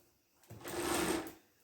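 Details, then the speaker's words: Chinese-made mini bike with long-standing chain drive trouble, chain spun by hand after adjusting both tensioners. A one-second whirring rattle swells and fades as it runs freely without binding, though tightening the nut changes the adjustment. "okay i mean i it actually spin fairly good"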